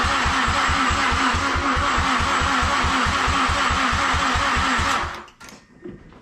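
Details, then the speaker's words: Mazdaspeed6 with alternator refitted, fuel hooked up and port injection disconnected: steady cranking at about three to four turns a second for five seconds, never firing; crank no start, compression test still very low, leak-down test next. "so guys unfortunately with the alternator put in there we had no luck starting the car and honestly I redid a compression test and it's still very low"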